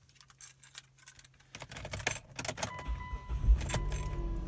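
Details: 2004-09 Hyundai Tucson V6 after replacing the cracked original oil pump: keys rattle, a short crank, and the engine fires straight away into a low, even idle; normal start.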